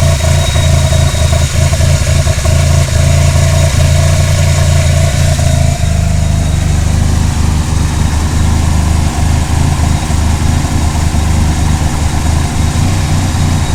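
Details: Mitsubishi Conquest TSi petrol engine with rough idle: low rumble broken by irregular stumbles and shifts in tone.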